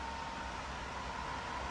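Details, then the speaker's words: Newly assembled Lasko 16-inch oscillating pedestal fan switched through speeds 3, 2 and 1 and back to 3: steady rush of air with a faint hum, quieter at lower speeds and loudest on 3, running smoothly. "3 is like the strongest, I think. So let's turn it on 3. Okay, let's go to 2. You can see it's a little bit, the sound's a little bit lower. Let's go to 1, and again, lower again. 3, loud."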